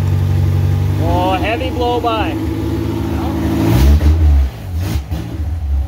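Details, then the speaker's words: Honda K24-swapped Toyota AE86 Corolla on its first start, run briefly with no coolant and missing about half its sensors. Lumpy, uneven idle with an unsteady beat and a rev blip, like a misfire. Injectors possibly gunked, fuel leak at the back; cause unconfirmed. "that's pretty good with missing half of its sensors and realistically he's missing quite a bit"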